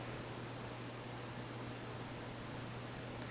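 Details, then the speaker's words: 1981 4 Seasons Classic 52" (132 cm) ceiling fan, made in Taiwan, on high speed at about 160 rpm. Low, steady hum with a soft air rush, quiet and even with no wobble or knock. Runs smoothly. "still blows a lot of air at the speed it's much quieter as you can hear and it doesn't wobble anymore"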